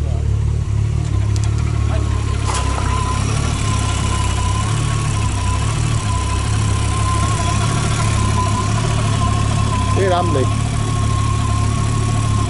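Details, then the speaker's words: Golf 3 VR6 turbo (about 500 hp) on its first test run, charger at up to 150 degrees: steady, even low idle with a faint constant whistle and no knocks or misses; sounds healthy. "Ist gut, so laufen beide. Ass rein. Klingt gesund."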